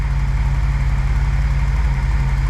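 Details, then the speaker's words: E28 BMW M5 after engine rebuild, coolant bled, running up to temperature: deep, even idle with a steady low pulse and no ticks or knocks, running absolutely sweet; normal idle. "well it's all been worth it no problems running absolutely sweet coolant it's all bled up let this run up"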